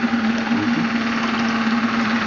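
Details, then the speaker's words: Graupner 5000 gas-fired model steam engine driving a pond water pump, at about two bar, cylinders cleared of condensate: steady even hiss with constant low hum, no knocks or misses; pumping smoothly with good water flow. "that's better it's running about two bars condensates cleared from these little cylinders it's really flowing now"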